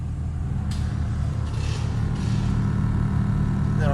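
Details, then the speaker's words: 1996 Lexus GS300 heater/AC blower motor on speed four: loud, steady low drone with a rough wobble that shakes the whole dash, while airflow stays weak. The blower motor is being replaced. "four it's really loud you might not be able to hear that as well but yeah it's super loud and it shakes the whole dash once it starts really going and it just doesn't blow very powerfully"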